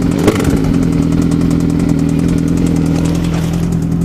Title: Bad engine noise